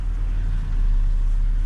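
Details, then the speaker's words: 2010 Chevrolet Impala 3.5 V6 at idle after power steering pump replacement and air bleeding; reservoir no longer foaming, pump now almost inaudible with a low, steady, even idle and no whine or groan, occasional growl when steering remaining. "so you can hear the idle you can't even hear the pump now"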